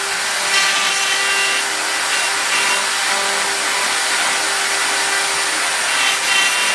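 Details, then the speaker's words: Milling out an upper receiver with a long end mill sticking far out, supported by a bearing: harsh, steady scream with a fixed ringing tone over gritty cutting noise; end mill chatter from excessive overhang. "you can hear the chat or even though it's supported with the bearing there it's still a lot endmill sticking out"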